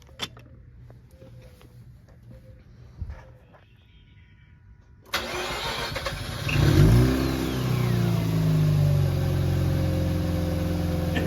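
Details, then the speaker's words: Mazda RX8 after installing an LS ignition coil kit (NGK LS coils, NPBoosted bracket, recently changed spark plugs), fitted hoping to reduce an earlier ticking: it starts, blips, and settles to a steady, even rotary idle. It sounds much better and runs clean. "That sounds so much better. Right? So this is going to be me doing a pull with the new ignition coils."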